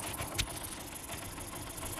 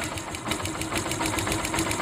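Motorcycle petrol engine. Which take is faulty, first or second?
second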